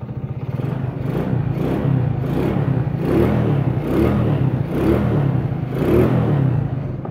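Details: Honda Grand/Supra/C-series small four-stroke engine revving up and down smoothly, with no ticking or top-end clatter, after replacing the worn automatic cam chain tensioner that caused the klotok-klotok chain-like rattle; running clean after the repair.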